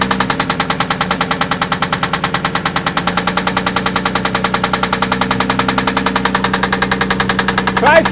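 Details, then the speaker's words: Toyota Land Cruiser engine at idle, plug wires loosened to check for pitch change; sharp steady knock about 3.5 per second shifting slightly as wires are pulled, source unconfirmed; engine knock. "okay you're gonna do number three loosen it up and we'll see if there's a pitch change in that knocking"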